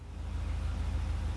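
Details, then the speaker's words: Volvo 240 after fixing a no-start caused by a dead in-tank fuel pump (pump power wire resoldered): started right up, pump audible in tank; low, even idle rumble with steady firing, no misses. "But otherwise, this works pretty well. I can hear the pump going in the tank. Started right up."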